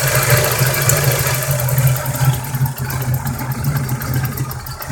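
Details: Rough idle on a 1988 Toyota 3VZ-E V6 petrol engine with the throttle position sensor plugged in; the low drone surges and dips instead of holding steady.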